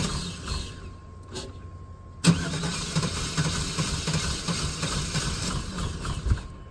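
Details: Long-neglected GMC/Chevrolet OBS V8 run on old gas, first start after sitting: cranks, catches, then a rough, shaky idle with an irregular beat, not firing on all eight cylinders; misfire, cause unconfirmed, oil and fan not yet checked.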